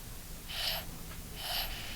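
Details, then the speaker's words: Scuba safe-second (octopus) second stage free-flow hissing, two short bright hisses, stopped by adjusting with the adjustment tool on a tank-mounted first stage. "So, there's hissing. Hissing stopped."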